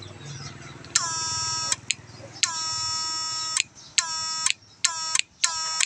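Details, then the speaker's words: GM8999 power inverter after repair with relay added for the often-failing switch, wiring glued and cover closed: buzzing tone bursts switching on and off about once a second, each with a crisp relay click; relay switching cleanly. "โอ้โหเสียงรีเลยดังดีมากเลยก๊อกแก๊กๆ"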